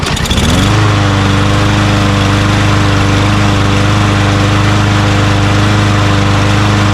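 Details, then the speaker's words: Craftsman M110 (MTD) mower, Briggs 550EX auto-choke engine, carburettor cleaned and refitted, air filter off: starts first pull and settles into a steady, even single-cylinder drone with no surging; running properly. "Beautiful. First pull. Just like it's always like this model usually starts really easily, starts right up."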